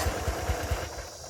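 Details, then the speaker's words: Gravely 34Z commercial zero-turn mower on jack stands after drive belt replacement, choke on: slow, even cranking at about four or five thumps a second that never fires; owner says the fault is unrelated to the belt work; crank no-start. "The motor just doesn't want to start. It's trying."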